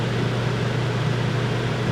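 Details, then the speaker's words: Wrecked Georgetown RV, rear rooftop air conditioner switched on from its controller on battery and shore power: smooth constant low hum with soft airy hiss, no knock or squeal; runs properly. "Okay, so I was actually able to get the rear one to turn on, not a problem. Found the controller and that turned right on, but that's not the one I'm looking for."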